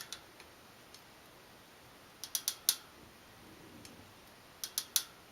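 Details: New Shimano Dura Ace C24 rear wheel with Ultegra cassette under pedaling load: sharp clicks and pops in small clusters, a snapping, creaking metallic pinging traced to the wheel/freehub after a bottom bracket swap didn't help; cause not pinned down.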